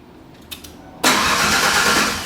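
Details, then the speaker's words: 1992 Ford Ranger with rebuilt 2.9L engine, first start after reinstall: a few cranking taps, then a rough coughing catch that struggles to settle; ignition timing too far advanced, distributor moved one tooth to correct. "go ahead there you go she cough a little we might be too far ADV I don't if we got it go ahead yeah we need to skip a tooth"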